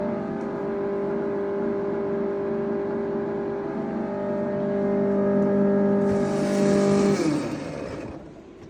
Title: Whirlpool Refrigerator Loud Humming Noise